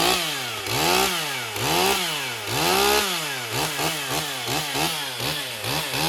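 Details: Stihl MS 201 TC-M, relatively low-hour electronic-carb climbing saw diagnosed for a no-start, first run after bench work with bar and chain fitted: revs up and drops back in regular surges, crisp even pitch; running normally, smoking slightly.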